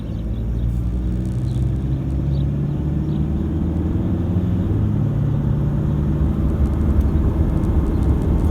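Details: Toyota Hilux diesel after injector replacement, heard with the window down at around 50–70 km/h: a steady low drone with no diesel clatter or knock, so the engine runs quiet and smooth.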